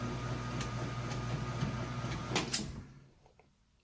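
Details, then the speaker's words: Maytag top-load washer, express wash with mostly jeans and plenty of water, agitation phase: steady rhythmic swish-thump three or four times a second, even and unlabored, then winding down; agitation sounds healthy. "It's going through the agitation right now. You can hear it, sounds real good."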